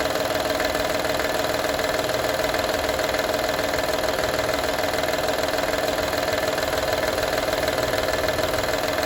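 Steady idle with a fine, even rattle riding on it, roughly three ticks a second; something is loose or rattling, cause not yet known.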